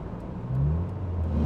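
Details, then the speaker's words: Ford Probe bought from Copart on a 700-mile road trip: the engine flares and revs freely without pulling the car; the automatic transmission is slipping with no drive. "All right, well, we may have just lost it. Yeah, we may have just lost our transmission. Oh, this is bad."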